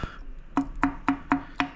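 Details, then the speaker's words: KTM RC8 engine, rebuilt two years earlier, failed on track after 2000 km, opened up: six hollow metallic clunks about four a second as connecting rod is rocked by hand; big-end bearing shells disintegrated, bearing play knock. "Tu la vois la biélasse ? Tu la vois la biélasse qui monte et qui descend. Ça c'est pas normal. Là il y a plus de cousin en fait."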